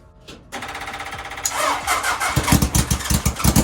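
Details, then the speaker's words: Half-scale NASCAR four-cylinder engine, first start in a while after new custom aluminum intakes: lumpy running, about four uneven pulses per second, only cylinders 3 and 4 working; compression and spark good, owner suspects the other carburetor. "are both cold, and it's only running on this side. Cylinders 3 and 4 are doing all the work."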